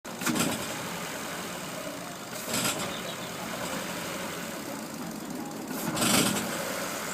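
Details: Ford Fiesta Mk7: weird rough bursts of engine noise rising over a quiet idle each time the throttle opens and on start, then dying away; cause unclear.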